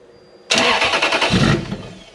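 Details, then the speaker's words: Toyota 3UZ-FE V8 ECU after dealer bricking, restart with immobilizer issue: cranks, catches and revs about a second, then dies straight away as the immobilizer cuts fuel; further cranking stays dead. "if you've got an immobilizer issue and you've just fired it like that i try to start it again it'll just crank just completely dead"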